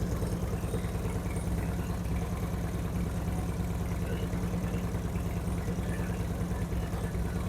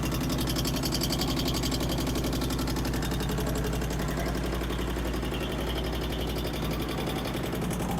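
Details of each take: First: 2008 Harley-Davidson Street Glide with Screamin' Eagle 255 cams, second start after readjusting a pushrod: low, even loping V-twin idle with no ticks, knocks or clunks; rev-ups faster and crisper than before, engine healthy. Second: 2008 Harley-Davidson Street Glide, first start after Screamin' Eagle 255 cam upgrade: light, rapid ticking over the lumpy V-twin idle in time with the engine; valve-train tick.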